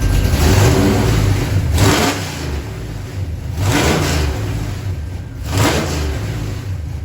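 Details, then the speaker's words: 1977 Chevy Camaro V8 after installing a new Pypes Violator exhaust and torque converter: three blips to about 3,000 rpm, settling back cleanly through a loud deep exhaust; running fine, no transmission leaks. "Oh, that sounds great. That's loud. That's only going up to about 3,000 RPM with it."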